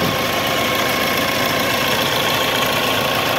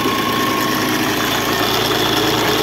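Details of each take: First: Mahindra Scorpio SZ 2.6 8v diesel idling after repair, started easily, radiator possibly has a small hole: thin steady whine around 1 kHz above rough clatter. Ugly noise comes from the alternator. Alternator noise. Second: Mahindra Scorpio 2.6 8v diesel after radiator and cooler repair: steady, even idle with no knocks or rattles, healthy; a small alternator noise noted but not addressed.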